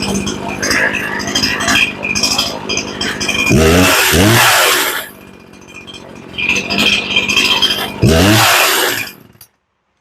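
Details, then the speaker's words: Poulan Pro chainsaw that sat long, during carb tuning: crisp two-stroke revving to full speed and back to idle twice; slight hesitation noted, high-speed screw turned up. "hey sounds pretty good but you got a little hesitation so turning the high up"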